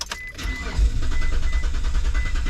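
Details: 2004 Mitsubishi Montero: starter cranks the engine at a steady, normal pace with even pulses but it never fires or catches; crank no start from no fuel, spark confirmed by timing light.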